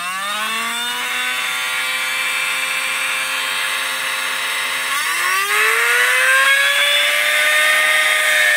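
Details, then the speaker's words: 12 V DC motor switched directly to 24 V supply; high whine jumps and keeps climbing, screaming hard, then the motor starts burning and burns out completely from overvoltage. "देख सकते हैं आप जो है ये जलना शुरू कर दिया है दोस्तों तो ये देखिए पूरी तरह से जो है जल गया"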